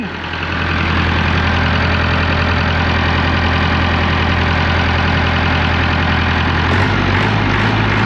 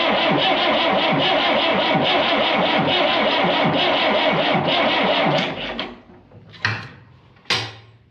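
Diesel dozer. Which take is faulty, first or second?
second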